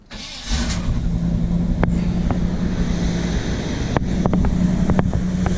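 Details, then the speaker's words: 1975 Chevy C10 with factory Quadrajet, warm, off the idle screw after a carb rebuild and new intake gaskets: fast steady idle near 1600 rpm that won't settle, secondary throttle blades likely not closing; high idle. "if we kick it off of the idle screw it should die all the way down so idling pretty high"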